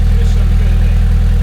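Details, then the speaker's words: Freshly built MR2 engine (old crank, new block, turbo build) just after first start: steady, even low pulsing at idle with no ticks, knocks or misses. Normal idle. "They do always sound good."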